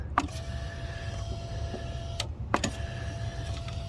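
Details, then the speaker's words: 2001 Monte Carlo 3.8L, engine off: wiggling the faulty ignition module connector sends false pulses, giving scattered clicks and buzzy bursts as the injectors fire erratically and the fuel pump relay kicks in; false rpm signals reached 32,000. "and when it does that it's also sending impulses to the injectors and when i wiggle this back and forth you can hear them they freak it out"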